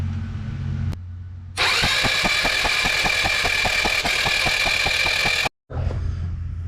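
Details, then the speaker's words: Icebear Maddog 150 Gen IV GY6 scooter that cranks but won't start; compression was checked OK and the plug was grounded outside the engine. The starter spins about four compressions a second, never firing, with no spark. "we're not seeing a spark on the spark plug so that means it's either the coil which is right here the stator behind the flywheel or the regulator or the CDI the problem is going to be one of those"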